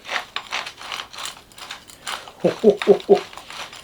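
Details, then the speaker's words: RC car "Big Mama" rear gearbox turned slowly by hand during reassembly: irregular dry clicks and a gritty ratcheting rasp, probably a worn bearing. "Dis donc, c'est pas fameux le bruit là-dedans,"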